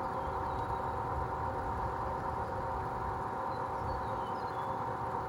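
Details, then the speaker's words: Industrial fan: constant rough rumble with a steady ringing hum, no speed change; worn fan motor bearings, heading toward the grinding phase but with some life left, to be replaced within a few years. "So yeah, there's that noisy fan and now I'm going to show you the industrial fan that is also noisy and also has worn bearings."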